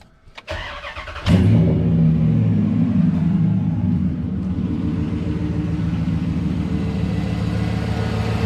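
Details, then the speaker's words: 2003 Dodge Ram 1500 with a suspected rear main seal oil leak, Bars Leak One Stop sealer just added and Marvel Mystery Oil used earlier: short crank, quick catch, then even smooth idle, owner says it runs smoother; normal start and idle. "that thing runs so much smoother now that i put that marble mist oil in there"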